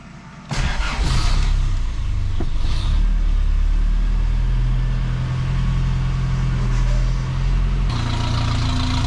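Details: 1985 Toyota 4Runner after engine rebuild, fired up to warm up and check timing once an unplugged connector behind the ECU was reconnected: catches quickly, settles into steady low, even idle, no misses or knocks.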